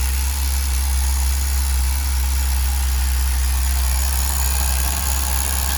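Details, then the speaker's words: Tamiya TGS-R nitro RC engine on its second break-in tank, carb back at factory setting and running around 160 degrees: steady, crisp, even note with no sputter or surging, running healthy. "This thing is freaking rocking. Freaking rocking, guys."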